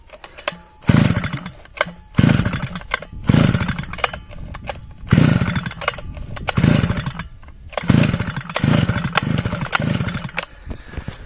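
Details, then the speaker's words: Svityaz BT-430 petrol brushcutter that stalled after refuelling: repeated pulls give short ragged bursts about once a second then die; plug keeps getting wet, air filter soaked in oil; flooding, fouled plug. "але працювати так і не хоче чомусь заливає свічку от як видно мокрувата"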